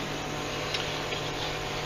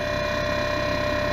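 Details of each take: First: Alpicool T60 dual-zone 12 V car fridge freezer running off AC, compartments set to 34°F and 14°F: steady low compressor hum with buzzing rattle from empty baskets shaking; quiets when sides are pressed, not a failing compressor. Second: Alpicool T60 dual-zone 12 V 60 L portable fridge freezer, eco mode, low battery voltage setting, mic placed down near compressor: even steady mid-pitch hum, a bit louder than a normal fridge but smooth; normal compressor running.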